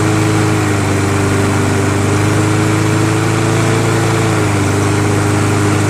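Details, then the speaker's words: Toro SR4 Super Recycler 20381 push mower with a Chinese clone engine, carburetor just cleaned: a steady, even buzz while running fine; it is hard to restart after shutdown, and the owner suspected the valves; cause unconfirmed. "well I just moved along with it runs pretty good most very well and then I shut it off and I can't start it again so I'm thinking I think it needs a he needs to a valve adjustment"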